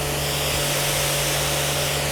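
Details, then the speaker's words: SPITWATER 10-120H hot water pressure cleaner at full high pressure, gauge around 120 bar: even hiss and steady pump hum with no surging or pulsing, so no leaks in hoses, gun or lance. "We don't have any leaks because we can't hear the machine surging."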